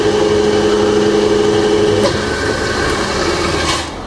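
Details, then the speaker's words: Rebuilt Bridgeport belt-drive milling machine after full service, spindle in low range: smooth, steady hum with a clean constant tone and no rumble, clicks or grinding; spindle bearings sound quiet and healthy. "there we go no it's just as quiet and lower than the low gear regardless in high although on the motor"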